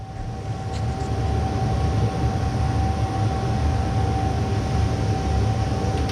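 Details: Tuned 20 hp two-stroke moped engine, first start after filling crankcase with resin, bearings felt nearly welded: steady even buzz, no scraping or knocking; idles normally, though owner notes maybe some grinding noise.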